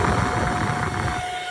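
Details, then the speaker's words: Boat exhaust blower fan, newly fixed, running: steady even mid-pitched whirring hum, no rattle or scrape; normal operation after repair. "So, hear that? It's all working. Got the fan working."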